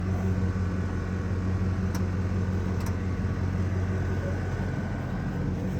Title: The Buzzing Sound you hear if your Air-Suspension compressor is working on a 98-99 Navigator.